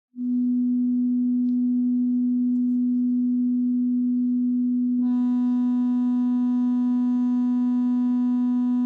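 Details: Medion 65-inch TV built-in speaker: steady low test tone plays clean, then turns harsh and buzzy about halfway through; speaker distortion.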